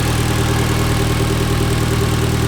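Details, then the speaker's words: Mitsubishi Evo X after 4B11 engine swap, idling after fluids topped up: smooth, steady low hum with no misses, ticks or knocks; car running great and healthy. "We swapped the 4V11 engine over the weekend, plus a couple of days here and there, but the car is running great. It's running healthy."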